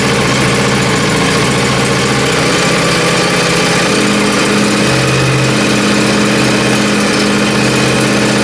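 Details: Small single-cylinder engine in very cold weather, after a rough cold start at full throttle, settles into a steady, even idle with a constant low drone and no knocks or misses; normal idle.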